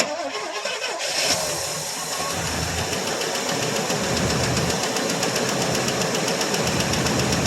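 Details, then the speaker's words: 1984 Chevrolet Suburban V8 cold start after about three years sitting: it cranks and catches, then settles into a busy idle with a light, quick ticking. Lifter noise at first that faded as it began warming up; lifter tick on cold start. "had a little lifter noise to begin with but it came out of that no we got to let it warm up"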